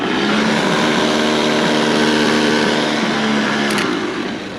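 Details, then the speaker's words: Abandoned International Harvester B275 tractor, starter motor jumped directly from battery: loud steady high whir, engine not turning over; the starter's pinion cog spins but doesn't throw out to engage the engine's flywheel cog. "and you get that where it's just doing that that little cog is spinning but it's not actually going out to engage in the engine"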